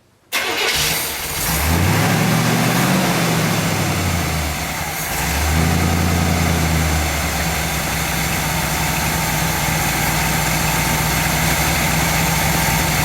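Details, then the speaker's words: 1959 GMC pickup, 327 small-block Chevy V8, first start in 15 years, idle mixture screws backed out another half turn: catches, surges and sags, then holds a rough uneven idle that won't settle on its own; still running too lean. "there the idle circuit kicked in hopefully no not going to do it so um it it at this point is close to running on its [Music] own but it still is too lean"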